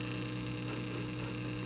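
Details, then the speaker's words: 1936 Zenith 6B129 shortwave radio powered up: steady low buzzing hum with faint static and no station reception, light bulb not glowing; the humming seems to come from the power supply vibrator. Cause suspected, not confirmed. "sounds like the vibrator in the power supply which might be a thing but i'm not getting much other than static which is not good not really getting anything just some static"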